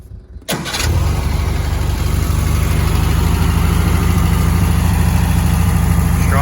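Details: Freshly built 1971 VW sandrail engine, mostly stock, 80 mm, 1679 cc, progressive linkage. Catches after brief crank, settles into steady, even chuffing idle with no knocks or misses; normal idle.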